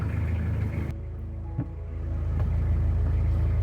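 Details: Narrowboat diesel started after about six seconds of glow plugs, left to warm up: catches and settles into a steady, deep, even idle thud of about four beats a second; normal.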